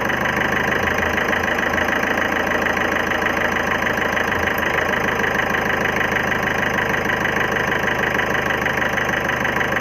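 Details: 2011 Ford Figo diesel at idle: lumpy idle with a hard uneven knock about three times a second and a stumbling missing beat; injector problem suspected, not confirmed.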